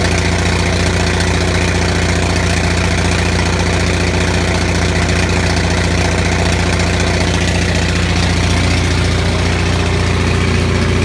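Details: Onan 6500 (6.5 kW) gasoline commercial generator, muffler missing, after cleaning severely fouled spark plugs that caused bad misfire and backfire: engine idles at a steady low drone with fairly even beat, no obvious misfire; voltage still jumps slightly.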